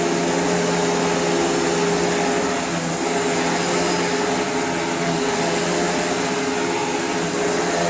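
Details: Dirt Devil (Royal) Eclipse Plus 6750UK upright vacuum after restoration, with a new better belt and a stiff wooden brush roll: steady, even motor whir with a constant airy rush, no rattles, slipping or pitch wobble, running healthy.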